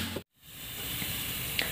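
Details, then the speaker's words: Chinese-assembled Valid-brand CRT TV that powered on with no picture and a burning-like noise; after repair a constant sizzling hiss, brief dropout and sharp crackle remain from high-voltage leakage at the flyback, to be sealed with glue. "rekan-rekan TV ini sudah normal kita punya PR satu cuma disitu kita masih berdesis nanti kita akan lem dengan lem iPhone"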